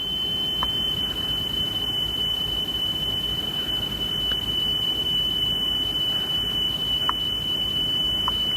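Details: Sony Walkman WM-EX102 (titled EX610) after belt replacement, speed trimmed toward 3 kHz: the test tone holds an even pitch with no noticeable warble. Within ±15 Hz is considered acceptable, so tape speed is normal.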